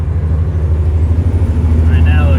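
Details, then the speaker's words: Mack diesel truck driving after fuel-system work (fuel bowl and water separator cleaned of debris; it had been starving for fuel): deep, steady rumble pulling strongly with even firing and no stumble; running clean and making good power. "it's making some good power this old truck drives good"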